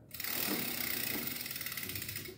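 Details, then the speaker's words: Bicycle wheel spinning: quick regular swishing rub once per turn as dents from many impacts on the rim bulge out and hit the brake pad; with the brake removed the wheel spins freely, confirming rim damage. "padeció porque el ring ha sufrido muchos golpes abolladuras las cuales se salieron y hacen que una especie de montaña de tripita se salga y pegue contra la la zapata"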